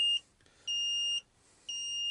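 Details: Ford Transit GXL Jumbo van with rear interior lights that sometimes stay on, owner suspects battery drain (reading 9.6 V), glow plugs disconnected: repeated high-pitched half-second electronic warning beeps with short gaps, possibly low-voltage alarm, cause not confirmed.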